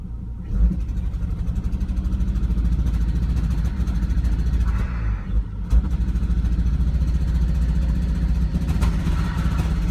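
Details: Volvo V70 XC: engine runs with an uneven, lumpy low pulse that stumbles irregularly as it revs; misfire of unknown cause.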